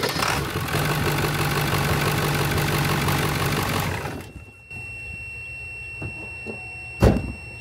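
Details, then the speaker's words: Old Ford truck with a big diesel engine, started by a ZEVZO H021 5000A jump starter with the negative terminal disconnected and no battery: loud steady cranking for about four seconds, then it catches and settles into an even idle; clean normal start. "and there you have it the device started up this old Ford truck big diesel motor minus a battery with no issues whatsoever how cool is that"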